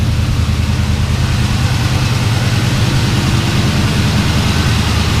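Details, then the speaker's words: Twin-turbo LS V8 (budget build) idling on first start with new heat-wrapped exhaust, fuel pressure dropped from about 60 to about 50 psi for a hot-start issue: deep, steady, evenly lumpy burble, no knocks or ticks; normal healthy idle. "So much quieter in here. So my fuel pressure's at about 50 pounds. Sounds so nice."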